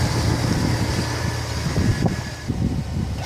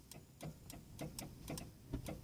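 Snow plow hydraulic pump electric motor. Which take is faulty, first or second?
second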